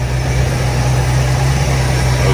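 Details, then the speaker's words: 1977 Mercury Cougar XR-7 V8 running rough after adding 5 gallons of fresh gas; heavy, uneven lumpy idle only slightly better; owner suspects old fuel in the tank and plans to add more fresh gas. "it's still pretty bad I think what the right thing would be to do what yeah would be to just put more fresh gas in the tank and see if that fixes the"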